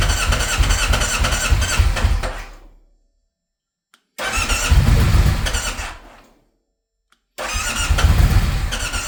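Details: Alfa Romeo Stelvio: three separate bursts of steady cranking, each a couple of seconds, then silence; the engine never catches, so it cranks but won't start.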